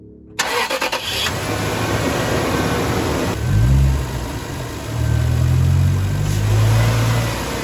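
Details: 2007 Toyota Sequoia after a charging-system fix with a new alternator; a brief crank, then a clean catch into a steady, smooth idle with light blips. Normal start and idle.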